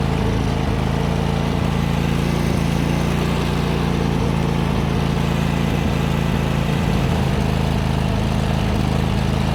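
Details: John Deere GT245 mower running rich and misfiring, suspected starved for air by plugged air cleaner, owner also suspected ignition coil: loud, uneven chugging with irregular stumbles; black smoke, owner suspects overheating or possible blown head gasket.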